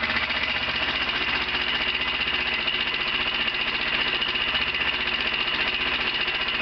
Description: bruit moteur 125 cbr qui claque ,, biele ? soupape ?... , ? on entend bien un bruit " métallique " .